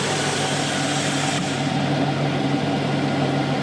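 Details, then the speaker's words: 2002 GMC Sierra 2500HD after exhaust manifold gaskets, broken bolt repair and EGR plug, cold start: smooth low idle hum with no rattle or knock; earlier suspected bottom-end knock may have been exhaust rattle; quiet, healthy. "ugly is all get out but hey listen to that so quiet it's so nice"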